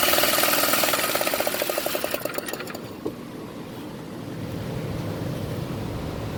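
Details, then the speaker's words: Baja minibike engine, left to rot in bushes and previously seized, spun over with a drill: a quick even spin at about four beats a second with no compression puffs, then it dies away; no compression. "any compression none coming out of there let's pull this apart see what's going on"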